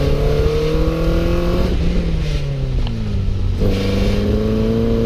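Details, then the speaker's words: Toyota MR2 Spyder after engine swap, cheap used exhaust: coarse buzzy rattle under heavy acceleration or engine braking, revving hard through gears; suspected tip touching cat, traced to broken baffle inside one muffler, replaced with resonator. "what I'm expecting here rattling from is where the tip touches the cat unless they're smashed up against each other it can't rattle which would be okay"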